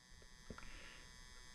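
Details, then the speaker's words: Galaga arcade cabinet, already recapped, powered up with monitor on: constant low mains-frequency electrical buzz under the game sounds, unchanging; normally a capacitor but source unknown, to be investigated. "Can't tell if you guys can hear that or not. We do have a buzz coming. Have to look at that."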